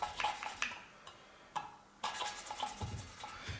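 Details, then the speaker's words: Classic Mini 1100 Special cylinder head, hand-lapping a valve with coarse paste and turning it 180° between strokes: gritty rasping bursts that get less noisy as it cuts. The seat is not yet fully mated. "obviously what you want to do is not just grind it like this which is you can hear you can hear how rough that is and it gets less and less noise pick it up and turn it 180° or"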